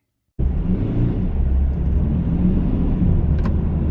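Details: Kia modern car, over 90,000 miles, has towed trailers, full throttle in top gears: heavy steady engine drone labouring without the car pulling; slipping clutch making car virtually undrivable, recorded before garage clutch replacement.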